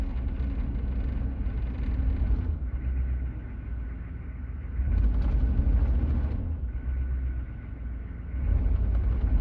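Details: 6.5 L diesel idling with deep, uneven, shaky rumble and several short revs; rough idle, engine shaking, slow to warm up, white smoke below 2,000 rpm.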